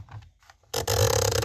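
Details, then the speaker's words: Repaired DVD player: a single soft click as the tray mechanism seats the disc, then the drive spins up quietly and evenly, much quieter than before repair; normal disc loading. "It only clicked once there."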